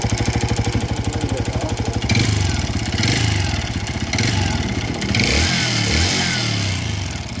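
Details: TVS Raider BS6 motorcycle engine: rapid even thumping, then uneven revving with rattly clatter over the exhaust; abnormal engine noise, cause not identified.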